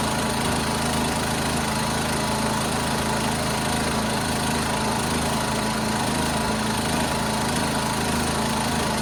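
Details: 1976 John Deere 300 with a binding starter, now started after a hard start: a steady, even single-cylinder putter with no misses or knocks; running smoothly.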